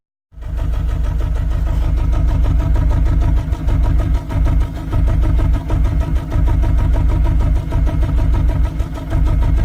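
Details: Mercedes-Benz C200 backfires and misfires under power when pulling off, sounding like it runs on only two or three cylinders, with an uneven stumbling beat and loss of power; coil packs and all four plugs tested firing; owner suspects the throttle body.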